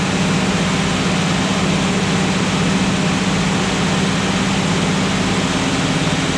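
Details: Jeep (Jurassic Jeep #73) first run after reassembly and distributor fix, break-in procedure raising and lowering rpm for 20–30 minutes, heat coming up: steady even engine drone, firm low hum, no knocks or misses; healthy.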